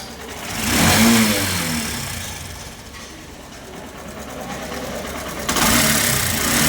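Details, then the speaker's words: Honda SP 125 motorcycle blipped twice: a fast metallic rattle rises with revs over the exhaust, from the timing chain. "SP 125 बाइक है। प्रॉब्लम यह है कि इसके टाइमिंग चैन से आवाज़ आ रहा है।"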